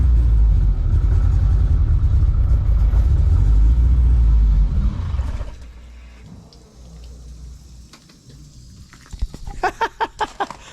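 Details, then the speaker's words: Toyota TE27 (about 1972) with swapped 3S-GTE turbo engine, first start after the build, no coolant yet: quiet, even idle for about five seconds before it dies because the idle is set too low, with no ticks or knocks; sounds healthy. "All right, that's a good sign. So this thing sounds super quiet."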